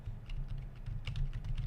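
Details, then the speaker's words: Quiet non-mechanical keyboard with soft keys: soft muffled taps in quick irregular bursts, no sharp clicking; normal quiet typing. "It's just so loud, and it's like, I want something that's kind of quiet as possible. No clicking or anything like that. And this does the job."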